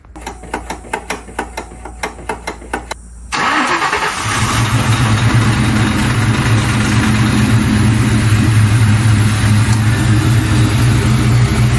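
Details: 2002 Ford Mustang GT V8 first start after fitting Howard's Rattler Street Cams, new spark plugs, coil packs and 24 lb injectors, not yet tuned: about three seconds of even cranking, then catches on first crank into a loud, lopey, uneven cam idle.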